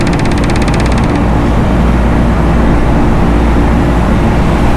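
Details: Loren Cook 100 ACEM rooftop commercial exhaust fan after motor replacement, at full speed: steady, even whoosh with a low rumble and no knocks or rubbing. Normal fan operation.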